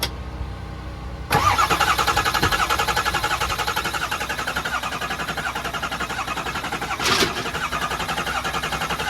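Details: Diesel truck with high-pressure oil system: key-off steady even cranking at about four beats a second to build oil pressure, never firing; extended cranking, no start.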